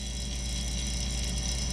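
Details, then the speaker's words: Camper refrigerator/freezer compressor (120 V) after fitting a combined relay/start device and bypassing the capacitor: low, steady hum without cutting out, where before it ran a few seconds and quit; runs normally. "And it's staying running."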